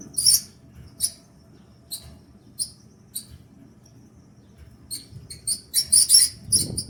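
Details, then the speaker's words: Kenmore Elite gas dryer: shrill uneven squeaks two or three a second over low drum rumble, worse when loaded with clothes; likely a failing rear drum support roller. "el sonido si no me equivoco viene de esta parte de aquí de atrás ok yo lo identifico más o menos de este lado entonces probablemente sean los rollers"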